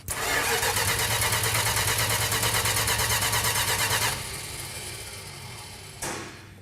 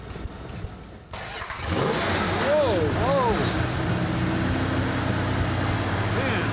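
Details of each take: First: Original-owner 1968 Dodge Charger R/T: starter turns the engine at a steady, even rate of about three pulses per second for four seconds without a single firing; cranks but won't start, more advance questioned, fuel then found pumping. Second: Original-owner 1968 Dodge Charger R/T V8 after checking fuel was pumping: catches after about a second of cranking and settles into a steady, even idle with no misfire; runs healthy, 60 psi oil pressure at idle.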